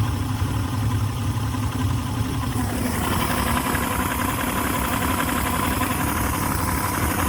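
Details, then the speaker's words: 2006 Yamaha 150 TXR two-stroke outboard after a hard run, idling about 800 rpm versus 1,000 before, primer bulb stays hard despite new fuel, filters, hoses, anti-siphon valve, cleaned carbs and 120 psi compression: low, uneven, sputtering idle; fuel starvation or spark suspected. "RPMs look to be about 800. They were 1,000 before the hard run. Now it's kind of low. See, it's sputtering."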